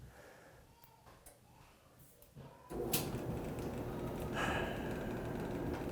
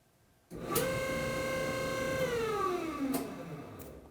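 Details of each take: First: Electrolux dryer model EFME527UIW0 after removing a sock jamming the motor and reassembling the front panel: a few clicks, then the drum starts with a steady, even rumble and tumble and no squeal; running normally. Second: Electrolux EFME527UIW0 dryer: a loud steady high-pitched squeal that slides down in pitch as the motor winds down; drum motor stopped by a sock lodged after the lint trap came loose, following earlier clunking.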